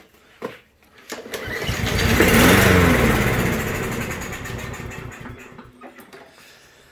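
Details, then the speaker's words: Craftsman M110 push mower, Briggs & Stratton 140cc, pull-no-start: on starting fluid it fires, roars a few seconds, then dies; fuel delivery problem, likely carburetor passages gummed from fuel sitting for months. "so that lets us know it's just a fuel delivery problem which on so many of these little lawnmowers happens when fuel sits in the tank and the carburetor over the winter or just whatever for several months it gums up all those little passages"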